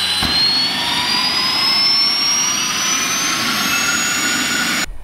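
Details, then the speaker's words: Mosquito helicopter XET jet engine startup: igniter and start fuel solenoid engaged after about 20–23% turbine speed; a soft boom or shock wave from the exhaust confirms fire in the can, then a steady rising whine as it spools up cleanly; normal light-off. "you either hear it boom it'll it'll be a subtle uh shock wave that comes out the exhaust"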